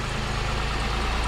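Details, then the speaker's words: 2005 Pontiac Grand Prix 3800 Series III, 235,000 miles, after lower intake manifold and water pump gasket replacement, warming up: even smooth idle with no ticks, misses or hiss; running healthy, no leaks. "but she's idling good sounds great everything is no leaks"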